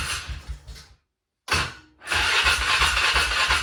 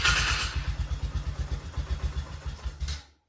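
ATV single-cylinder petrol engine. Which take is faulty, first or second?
first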